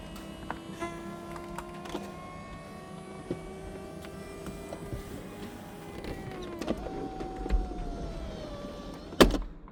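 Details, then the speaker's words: Porsche 996 convertible after hydraulic roof cylinder rebuild and refit, ignition on, roof closing: even motor hum shifting pitch as the roof travels, ending in a latch clunk; roof hydraulics working properly. "If the windows go up, that means everything is completed properly and all the adjustments done correctly."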